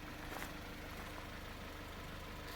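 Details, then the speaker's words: Jeep Compass, 2.4-litre Tigershark four-cylinder petrol at idle: a steady low hum with a faint, quick ticking on top, said to be much worse when cold. The ticking is suspected to be a known issue with this engine, not confirmed. "They have oil consumption issues. They have ticking issues. You can actually hear it right now."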